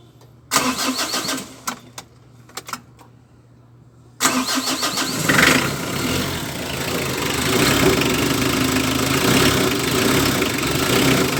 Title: (397) L300: HARD STARTING BA?